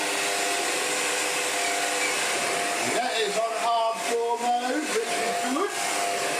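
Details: Shark NV801 Lift Away vacuum on its first power-on test before a full clean, picking up floor dirt: even, high-pitched motor whine holding steady, no thumping or grinding from the brush roll; running normally.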